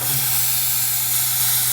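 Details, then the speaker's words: Airbrush spraying water at 28–30 psi, no air leaks, feathered at different amounts; steady, unbroken hiss with no sputtering or pulsing, smooth, even flow with no intermittent spray. "water's coming out you can feather a different amounts the water's coming out nice smooth flow no intermittent sprays okay perfect"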